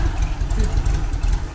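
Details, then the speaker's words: 1980 VW Kombi air-cooled engine, first run after 12 years parked, with a fuel leak near the pump that needs replacing: a low, throaty idle holding a steady slow beat, no knocks or ticks. Settles into a good idle. "Oh, the slow one is great huh, it stopped at slow,"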